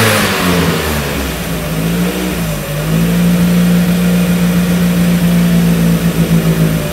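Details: 1994 Mazda Miata NA with 2000 NB engine, first start on Megasquirt, EDIS-4 ignition, OBX cam sprockets, 4-2-1 header, Yonaka exhaust; uneven revving settles into steady even idle after leaning out rich VE table, not yet warm: smooth idle.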